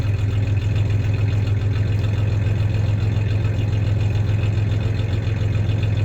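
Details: 1993 Ford Ranger 3.0 V6 idling then a little rev; slightly uneven stumbling beat around three and a half pulses a second, mild idle misfire; any clanking is loose tie-downs in the bed, not the misfire.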